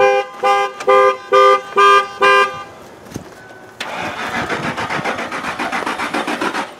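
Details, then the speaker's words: 2006 Lincoln LS 3.9L with no start, no spark, no fuel and no communication with the engine computer, jump pack connected: horn toots, then steady even cranking for about three seconds without firing; cause not yet found, 5 V reference being checked. "무어야!! 여전히 시동이 안되는데 잠깐~ 여기 5V가 나오는지 확인하고"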